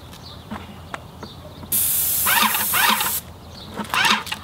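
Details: Airless paint sprayer with a fine-finish 310 tip (about 6-inch fan) after pressure was turned up: even, steady high hiss bursts without sputter. Clean spray at proper pressure.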